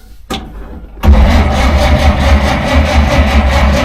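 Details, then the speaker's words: 1947 Dodge, carburettor engine reluctant to start after fuel supply problems; choke linkage jiggled, choke not coming on properly and butterfly sticking: starter churns evenly but never catches; flooded engine cranks but won't start. "but the main thing is it should have started it was trying to start but it sounded identical to when we were stuck in the pub car pot with the uh chap from the AA"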